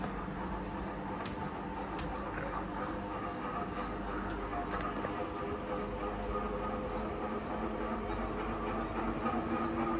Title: Humming sound ceiling fan